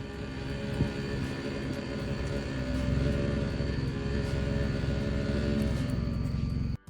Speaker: Customer states their car makes this noise whenever they're moving forwards. It also apparently stops when they reverse.